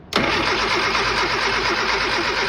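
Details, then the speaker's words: Old Austin Mini Cooper: the starter spins the engine briskly for over two seconds with no firing, and the points are burning again with smoke. Crank, no start; they suspect it needs electronic ignition instead of points. "No power. No power. No power. It's burning again."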